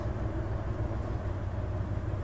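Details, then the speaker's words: Hyundai Terracan during an injector balance active test with injector number one disabled: low idle turns lumpy and uneven and rpm drops, a deliberately induced single-cylinder misfire. "i can feel the misfire i can hear it try again definitely dropping the rpm there on number one injector"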